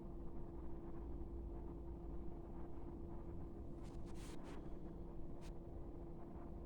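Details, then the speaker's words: 12V diesel air heater after a board fix; it had cut out before with error code 3, blamed on the glow plug but actually the motherboard. Smooth, even low roar and steady hum while warming up, no sputter or cut-out; lighting and running properly. "but this is a good sign so far it wasn't doing anywhere we're near this level it would have cut out before"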